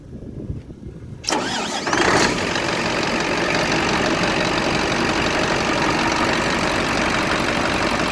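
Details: Scania diesel, in a starter-relay no-start diagnosis and fix, cranks briefly then catches and settles into a steady, even idle with no misses; starts and runs healthy.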